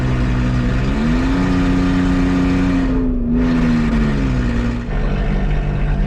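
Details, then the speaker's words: Nissan Xterra, customer claimed transmission problem, warm, test drive in second gear at full throttle with one oxygen sensor pulled: engine drones, climbs slowly, sags and runs rough, check engine light flashing for misfires; clogged catalytic converter. "so I'm not sure if you can see it or not but the check engine light is flashing which means misfires and uh it's running generally like garbage"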